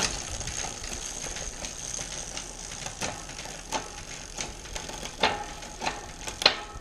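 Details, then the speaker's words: Bicycle rear derailleur after indexing and a quarter-turn cable tension adjustment, chain on the large chainring: light freewheel ticking with crisp single clicks and clean clunks onto each cog. Shifting is properly indexed, with the top jockey wheel aligned to the cassette. "very happy with that now the last check I do I just take it all the way up into the middle of the cassette and then all I'm doing is a quick visual check to make sure that the top jockey wheel is in line with the cassette above which it is so yeah very happy with that he gives a beautifully indexed"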